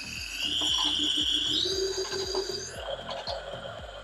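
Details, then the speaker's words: Honda B16 (B-series) leak-down test, cylinder four at 50 PSI while crank is rotated: air hisses out the exhaust with a pitch climbing as valves close, over a ticking of turning; valves not sealing, cylinder holds under 10 PSI, head to be pulled. "However, what is happening, here's air coming out the exhaust. You can hear the pitch go up as the valves begin to close."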